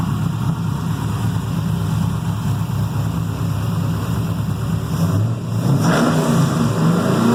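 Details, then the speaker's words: Carbureted 6.0 LS V8 with mechanical fuel pump and distributor, freshly built, heavier pistons, solidly mounted in a race car frame: deep even burble climbs smoothly on throttle blips and settles cleanly, no roughness or vibration; normal revving. "i figured if there's any uh uh balance issues it should vibrate your teeth and it doesn't it seems like it uh is nice and smooth"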